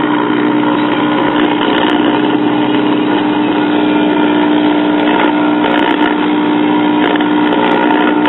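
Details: 1960s Sears Silvertone record player, unrestored, with valves warming up: loud, dead-steady buzzy hum that never changes pitch; filter capacitors suspected as the power supply isn't smoothing properly, not confirmed.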